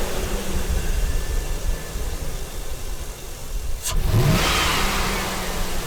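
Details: Truck at about 35K miles, first start after the fuel rail was refitted and the fuel injectors cleaned, 2 years after the last cleaning; steady idle with a brief rev, smooth and even, no misses or stumbles, healthy engine.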